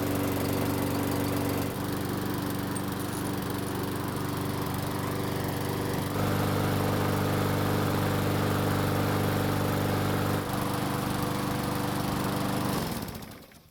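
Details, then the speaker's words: Mower that wouldn't start, after repair, about 5 minutes in and near normal operating temperature; steady, even single-cylinder drone for several seconds before shutting off; normal running. "now it's been running for about 5 minutes so it should be close to normal operating temperature"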